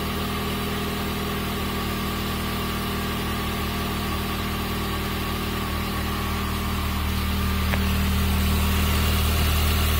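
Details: Chrysler PT Cruiser GT turbo engine after an urgent repair for a diesel-like noise, valve cover not fully tightened: steady even idle, smooth low hum, no clacking or knocks; ran great afterward.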